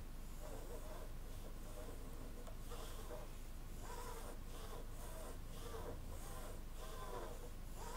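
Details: Samyang 85mm T1.5 cine prime, recorded on the camera mic: short scratchy rasping bursts as the focus ring is swept back and forth, a gritty drag; noisy focus ring.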